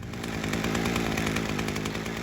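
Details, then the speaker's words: Small two-stroke warming up at idle with a dense, slightly uneven burbling rattle; low screw set rich to compensate for an air leak, before leaning it out. "See here, it's pretty rich. So what we're going to do is we're going to go to the low screw. I had it pretty rich to compensate for that air leak,"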